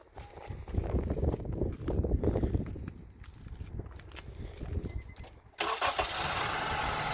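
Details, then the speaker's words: 2002 Honda CR-V 2.4 L just after starting: rough, hunting idle with revs rising and sagging unevenly, nearly stalling; vehicle had about seven fault codes, spark plugs, coils, purge solenoid and MAP sensor to be tested. "It has a very rough idling. The RPM goes up and down, and now we're gonna start it."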